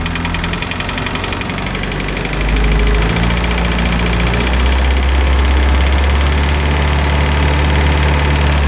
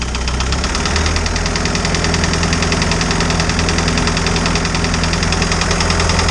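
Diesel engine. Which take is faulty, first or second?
second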